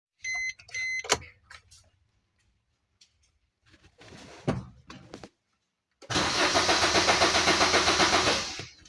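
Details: 2015 Maruti Swift that won't start: a few chimes, then steady rapid starter cranking that never fires; the diesel gauge shows nothing, and a cut fuse or fuel-pump supply is suspected, leaving the injection system unpowered.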